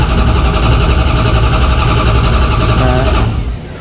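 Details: Mopar race car cranked about three seconds without firing after an oil change, to bring up oil pressure: a steady, even churning that then stops. The starter was barely warm; it cranks normally.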